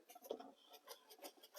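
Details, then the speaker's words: Husqvarna Automower 430X/450X after installing wheel brushes, cover refitted, wheel spun by hand with mic held close: quiet soft swishing pulses several times a second as the brushes sweep the wheel properly; installed and ready to roll. "Right, so it's actually now those brushes are installed and it is ready to roll."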